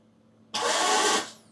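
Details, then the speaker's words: Vauxhall Vivaro no-crank fault, after volt drop testing the starter circuit: brief high-pitched free whir under a second with no cranking beats; starter motor spins but does not engage the flywheel, starter judged faulty. "so it's cranking over now it's doing everything start m is not engaging I know start m is Duff"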